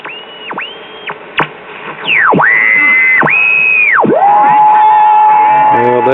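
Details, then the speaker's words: Westinghouse WR209 tube radio with all capacitors replaced, running on an isolation transformer: tuning brings loud swooping whistles, then a station settles under a shrill whistle with garbled sound, so reception is distorted and not listenable, cause unknown. "there's something, but obviously it's not listenable."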